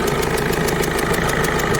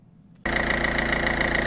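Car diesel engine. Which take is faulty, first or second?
first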